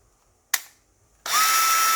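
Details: Makita DF333DWYE drill after reassembly, motor upgraded from RS550 to RS555 and gearbox serviced, run with no load. A brief low-speed spin, then a steady, clean high-pitched whir with no grinding or rattle; healthy.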